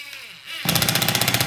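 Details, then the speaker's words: Black+Decker 20V Max lithium impact driver driving a screw: rapid even rattling hammer blows, about fourteen a second, kick in as the screw loads up, hammering while rotating; normal impact mechanism. "that you hear that clicking what's happening is it's pushing every time it clicks it's like almost it's like almost hammering the screw and rotating it at the same time"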